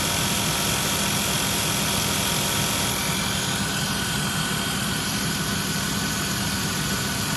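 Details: Engine at steady idle with a faint, fairly quick ticking about four a second, unchanging; heater is hot; owner suspects a failing water pump, source of the click unclear.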